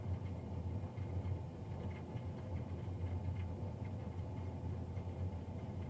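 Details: Navien NCB-240 boiler recorded Feb 3, 2020, three days after a Jan 31 service: continuous low roar with slight wavering drone; fan running loud, no specific cause evident.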